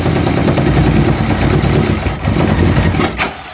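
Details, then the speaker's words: 1982 Honda Goldwing GL1100 flat-four barn find, sat 20 years, first start: settles into smooth busy idle, no knocking, slight stumble near the end; runs well despite a stuck float bowl. "good news is it runs you heard it run now we got to oh there's a lot of little stuff to get together to fix yes number one being stuck float Bowl but she runs actually with engine sounds pretty good it does it wasn't knocking and carrying on"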